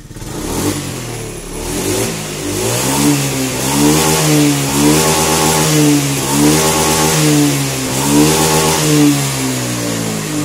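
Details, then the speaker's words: Honda Scoopy injection scooter after fixing hesitation (brebet) on throttle and adjusting idle screw: small single revs rising and falling cleanly, no stumble or misfire; normal revving. "Nah sekarang aman ya tidak ada masalah"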